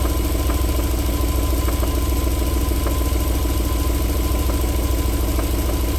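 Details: 1994 Alfa Romeo 3.0 24v QV V6 at warm idle: low steady rumble with faint, fairly regular knock returning after about 4 minutes, though cold start idled silky smooth.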